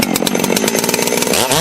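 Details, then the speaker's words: Holzfforma G660 Pro chainsaw, about 15 tanks, after ignition timing advance: screams at full revs then crackles and pops coming down; popping on deceleration, crisper response. "you hear how it's kind of popping and crack crackling as it's coming back down I think we hit"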